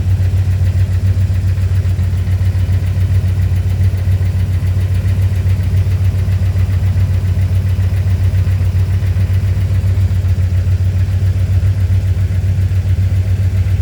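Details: Chrysler Fifth Avenue petrol engine at idle with a light, quick tick about four per second; owner suspects lifter tick and manifold gasket leak, not confirmed.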